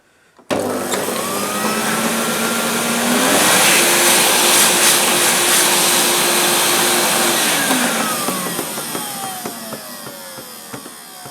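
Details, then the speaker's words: 1998 Hoover Alpina SC211 cylinder vacuum cleaner, used, running after hose sucked a plastic shard that seems stuck: motor winds up to steady high whine with faint irregular casing creaks; creaking is normal for Alpinas. "um yeah did you hear the creaking that's normal this should dull the sound a bit the power of silence"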